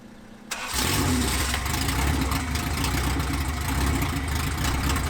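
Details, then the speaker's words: 1993 Honda Civic EG hatch, built LS VTEC (Manley rods, CP forged pistons, CSS cylinder support system, built B16 head, GSR cams, stock injectors, no turbo) on first start, open header, no throttle cable: brief crank, then loud, steady, even idle with no misfire; runs smooth. "Heat. Heat. It's running smooth. It's running smooth, boys."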